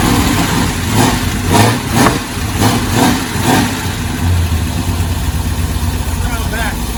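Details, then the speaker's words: V8 truck fitted with a Holley mid-mount setup, a new custom hydraulic power steering hose and a freshly hooked-up fuel pump, heard out back. A few throttle blips, then it settles into a deep, steady, healthy idle. "we're going to fire this truck off get it to idle good and then take you out back so you can listen to it"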